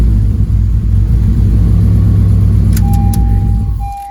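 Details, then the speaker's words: 9th-gen Honda Civic Si after injectors and connectors found good, spark suspected; uneven lumpy low idle rumble with no steady rhythm, then shuts off with a chime: misfire. "So it didn't do nothing different than what it has been doing. So the connectors are good. The injectors are good. Now the only thing I can think of is we move on to spark and see maybe possibly something in the spark."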